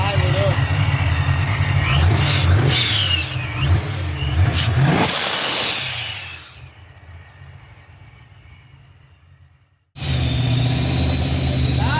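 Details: Engine revs up crisply after a TPS auto-set and drops back to a smooth, steady idle, with no ticking or knocking from the top end; normal, healthy running.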